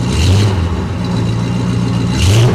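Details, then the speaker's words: 1973 Dodge camper special V8, revived after sitting 25 years, revved just after first startup: deep, even rumble climbs smoothly with the throttle and settles back cleanly, no knocks, misses or ticks; healthy engine. "Holy crap. That is a very nice running engine. I'm very impressed."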